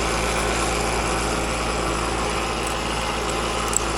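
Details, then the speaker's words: Outdoor AC unit with an Alliance scroll compressor that is loud and chattery: a steady hum with fast rattly chatter. Floodback from too much liquid refrigerant was first suspected, but the system has almost no refrigerant, so the noisy scroll compressor is from low refrigerant charge. "That just sounds like the scroll plate. I've seen it happen a lot lately on these run-throughs with Alliance compressors, and just too much liquid getting back. These compressors are just wussies. It ain't got no refrigerant in it."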